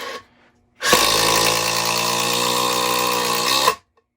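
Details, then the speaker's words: Makita 40V XGT impact driver driving a screw in comparison with Metabo HPT 36V triple hammer: about three seconds of steady high buzzing, pitch sagging slightly under load, clean stop; tool working normally. "but gosh, the difference in vibration is pretty, and noise is pretty incredible."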